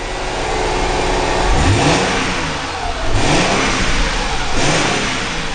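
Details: Mercedes W203 C320 after fuel pump replacement (before: lost power on acceleration, stalled, then wouldn't run): engine pulls smoothly through two clean revs and settles back each time, with no stumble or hesitation; running normally.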